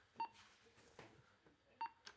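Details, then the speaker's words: HANDEL carrier control system confidence click signal, broadcast 24 hours a day and heard on the speakers: short sharp electronic clicks about every 1.6 seconds, showing the receiver is connected to the system. "and this broadcasts what they call a confidence click signal, and you can hear that on these speakers here by, if we test that, you will hear that going like that."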